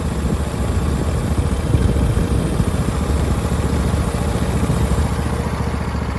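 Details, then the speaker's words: Husqvarna YTH21K46 riding mower with a replacement Briggs V-twin, after a carburetor seal kit to cure severe flooding. Started on choke, it settles to a steady low rumbling idle with no stumbling. Normal idle; flooding fixed. "That's good. No flooding. And it's still dry. Looks like it fixed the problem."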